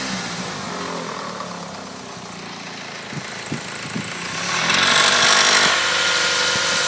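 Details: Engine with metallic tapping like two metals knocking, about three per second, heard only between 1500 and 2000 RPM; turned out to be the timing belt tensioner.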